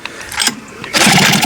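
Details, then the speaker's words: Hankai 6.0 outboard, 2020, two seasons' use, owner had removed and cleaned the carb. Pull-starts give only weak sneezing pops through the carb that never build to running. Reed petals look intact but a mechanical fault is suspected. "Чихает. Завестись не может. Придется, видите, потом закрываем, вроде хочет. Что-то беда здесь все-таки с лепестками."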